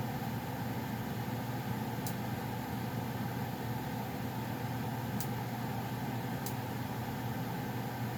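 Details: Goodman gas furnace running before shutdown: steady even rushing hum of burner and blower with a few faint ticks; owner notes popping as it shuts off; normal operation.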